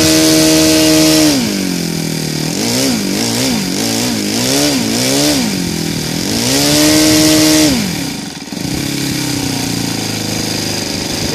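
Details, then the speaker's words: Saito FA-125 glow engine converted to CH Ignitions CDI, timing 30° BTDC, Evo 15x6 prop, after timing adjustments: clean crisp tone rising through throttle blips to a steady scream near 9,500 rpm wide open; normal healthy running. "it goes up to 9 500 rpms when i seen it idle right now i think it's somewhere around 1100."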